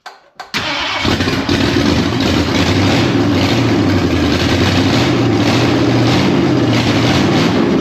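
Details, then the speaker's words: Freshly installed 302 V8 in a Dentside Ford truck, previously sitting in a barn: after cranking, it catches into a lumpy, stumbling idle; misfire on a couple of cylinders, timing suspected slightly off, valves/rockers being adjusted. "Sounds like it's missing on a couple holes. Still may need to fiddle with the timing. It's probably off a little bit, but it does run."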